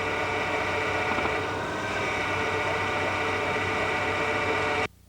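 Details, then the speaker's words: GM hydraulic (HPS) power steering during static parking maneuvers: a low, steady growl from high system pressure. This is normal and not a fault unless loud; if loud it may come from aeration, a dirty reservoir, a restricted supply hose or hoses touching the body. "O rosnado é um ruído grave de baixa intensidade, resultante da condição de alta pressão no sistema e emitido durante manobras estáticas de estacionamento ou em baixas velocidades."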